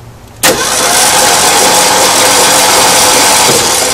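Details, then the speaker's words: 1972 Ford Bronco 302 V8, not run in at least 20 years, cranked with a remote starter switch wired to the solenoid S terminal: a sharp click, then steady even cranking with a strong whir. The starter works, and the valves are checked for opening and closing. "So I'm just checking to see, one, if the starter works now, and it does. And two, I'm checking to see if all the valves are opening and closing, so I don't have any hung open or flattened lobes and valves aren't opening."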